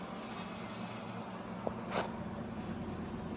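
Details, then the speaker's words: Microwave after magnetron repair heating soup for 30 seconds, steady low electrical hum with a faint click or two; it previously clicked without heating: normal microwave operation with magnetron hum. "Can you hear the buzzing? It's working."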